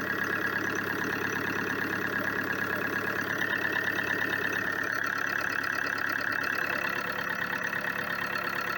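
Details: Opel Insignia 2.0 CDTI diesel after replacing a seized engine and a damaged crankshaft pulse sensor: steady, even diesel clatter at idle with no stumbles, misses or surging; engine idling normally after repair.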